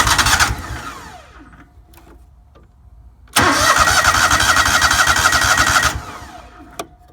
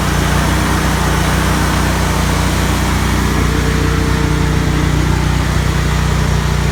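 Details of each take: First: Lawnmower being winterized, cranked with choke on in stages after the tank was refilled with ethanol-free TruFuel; two long bursts of starter whirring about four turns a second without catching because the fuel lines are dry and still filling. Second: Lawnmower during winterizing, running a couple minutes on ethanol-free TruFuel to flush ethanol gasoline and dry the carburetor; loud steady drone at constant speed, even beat, no sputter or hunting: normal running.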